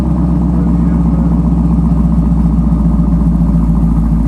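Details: Camaro SS V8 after an MBRP axle-back quad-tip exhaust install, first start: deep, loud, steady burble through the freer exhaust, even firing pulses without miss or tick; normal healthy idle.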